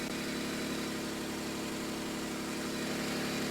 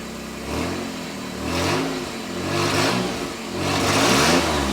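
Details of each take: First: Nissan Z31 project, first start before fuel tank install: steady, even idle hum with no misses, knocks or ticks; engine settles in smoothly and sounds healthy. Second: Nissan Z31 project after fuel tank install, fuel pump at 9 volts, earlier no spark until a connector was replugged: revs rise and sag unevenly and the engine stumbles, spitting and sputtering under throttle; cause unconfirmed.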